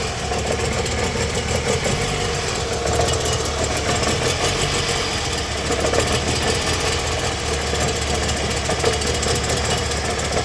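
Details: Toyota Harrier with 2AZ-FE engine: uneven, lumpy idle with stumbling beat, knock-like shake and hunting revs; rough idle with misfire, owner suspects something got into the absorber.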